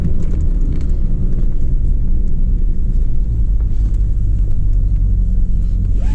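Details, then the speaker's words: 2003 Chevy Trailblazer driving after throttle body cleaning with acetone for rough idle and stalling: constant deep rumbling drone from big-tread tires, no rhythm or knocking; tire tread road noise, engine and transmission feel good. "hear that noise tires we got some pretty big tread on that feels good engine feels good transmission feels good"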